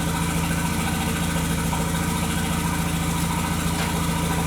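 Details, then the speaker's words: 2001 VW Jetta Wolfsburg 1.8T: a loud idle with an uneven pulsing chug about three times a second and the engine shaking, from misfires on cylinders 2 and 3 (codes P0302/P0303/P0300). "can see that the camera shaking like a poodle crap at a Peach Pit the West Indian computer so we have random misfire and cylinder number three and still the number two misfire"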